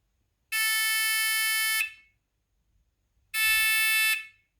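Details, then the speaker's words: Renault Spider indicator tell-tale project, bench test of the first candidate buzzer: two long, piercing high-pitched buzzes of about 1.5 s each with a gap between. It works. "that's what that one sounds like this one here is piercing so i think that one's a no"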